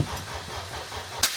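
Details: Toyota MR2 with swapped Honda K24 engine on Haltech Elite 1500 ECU, first start attempt: steady cranking thumps about five per second with one sharp crack but no catch; crank no start from incorrect TDC reference setting.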